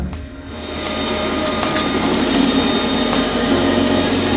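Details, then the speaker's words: Custom BMW E30 stopped mid-way on a long road drive: steady high whine hums over the idle without changing pitch; noisy electric fuel pump. "That's the fuel pump. It's getting"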